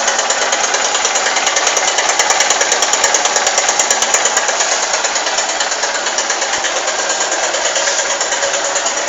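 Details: Honda Titan 150 cc motorcycle, just after start-up: fast, fairly even tec-tec ticking, about three per second, over a small single-cylinder idle; source of the tick unknown.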